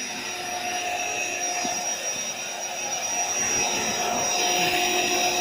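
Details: AeroBed Deluxe Raised double air bed, built-in electric pump almost done inflating, pinhole leak suspected near the bottom: steady, even electric whir with constant airy rush, no surging or rattles; pump inflating normally.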